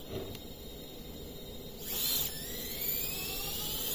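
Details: FPV quad running on 3S with the default tune and PIDs: quiet, clean motor whine climbing smoothly in pitch with no warble or jitter; motors spinning up evenly, running normally.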